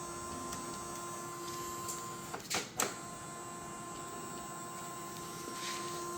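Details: Creality 3D printer CFS filament system after factory reset: steady motor hum with thin whine, feeder drive spins but does not grip or load filament; something seems to hold the filament, cause unclear.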